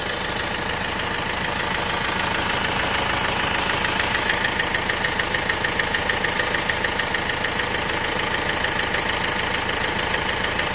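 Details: Opel/Vauxhall 1.6 CDTi diesel at idle: fast, even tick about three per second over the clatter; cause not yet pinned down.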